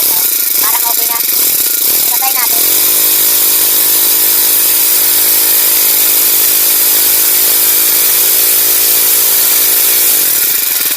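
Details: Honda GX35 grass cutter after cleaning its dirty carburetor (previously stalled even at full throttle): small four-stroke spins up and holds a steady, even high-pitched drone with no bogging or surging. Normal running.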